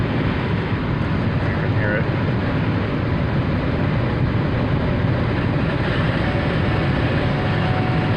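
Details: 2016 Ford Escape driving down the road, in-cabin with radio dead: constant deep rushing roar at road speed with no rhythm or tone; excessive wind noise, source not found.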